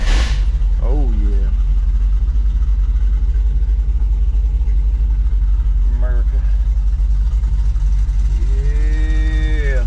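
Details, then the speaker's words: MerCruiser engine in a Manta Ray boat, being worked on for electrical, fuel pump and oil pressure sensor issues; loud steady engine rumble with short wavering squeals rising and falling; owner says belt squealing; cause suspected, not confirmed. "it them belt squealing there's too much power"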